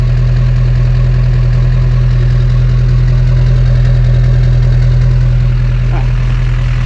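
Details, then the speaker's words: LB7 Duramax diesel pickup, warm after about four miles uphill on a hot day, running slightly hot: deep, steady exhaust drone with an even beat and no miss or knock; smooth normal idle, no injector hang-up yet. "all right pig is running good overheating a little bit it's like the dogs and i uh let's listen to that exhaust sounds great"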